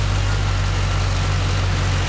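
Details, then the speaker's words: Holden SS Commodore 6.0 V8 after DOD lifter replacement and heads refitted: steady smooth low idle rumble, no tapping or clatter as before; normal idle. "Anyways, pretty quiet now. It was all clattery before, and she goes."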